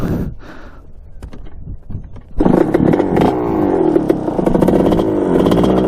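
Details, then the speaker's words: 1986 Kawasaki KX125 two-stroke dirt bike on its first ride, engine mounts tightened: blubbery, uneven revs with clattery misses instead of crisp crackle; running rich from a too-large main jet. "it's doing that same thing so running like crap i don't know why it's like i fold the plug or something already"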